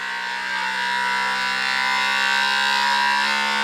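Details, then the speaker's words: Creality Ender 3 V3 Plus 3D printer first-start auto-test: second input shaper vibration test with the bed shaking front to back, steady buzzing tones slowly climbing in pitch; normal resonance calibration compensating speed-related vibration. "Un autre test de vibration où cette fois-ci eh bien c'est le plateau qui bouge d'avant en arrière."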